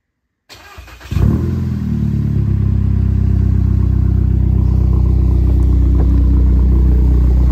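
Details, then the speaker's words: VW Tiguan started by a newly installed remote start. A brief crank and quick catch with a short rev, then a smooth, even idle settling steadily; the engine starts and runs normally. "open our door get in cars running if I touch the brake it's gonna kill it so don't touch the brake yet unless you want to shut it off or okay turn it on don't try and start it"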